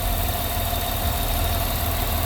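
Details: Engine after removing a noisy vacuum pump that mimicked lifter noise, holes plugged, brake booster teed to intake: steady, even idle with smooth low hum and no ticking; the fix worked.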